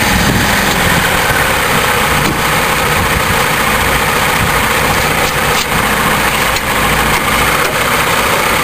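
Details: GM Iron Duke four-cylinder at idle: rough, with a dull, uneven knocking under busy engine noise that is getting worse; owner suspects a rod knock or spun bearing.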